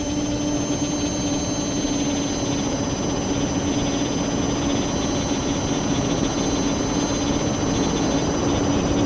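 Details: Drone motor spinning with camera tilted 15° down, causing bad vibrations: steady high electric whine with a strong tone near 300 Hz and rushing rotor noise; owner suspects ESC or motor bearings, unconfirmed.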